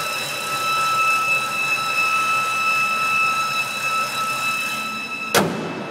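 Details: Recorded outside: a steady high whine at a fixed pitch over a faint hiss for several seconds; source unclear.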